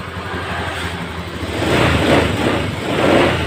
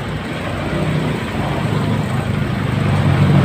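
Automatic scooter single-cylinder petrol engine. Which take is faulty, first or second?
second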